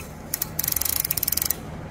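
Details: Toyota Hilux SR5 2.8/3.0 (1992–2004) after replacing the hand brake lever: crisp, even run of about twenty ratchet clicks as the parking brake is pulled up; the lever sounds clean and healthy, noise improved.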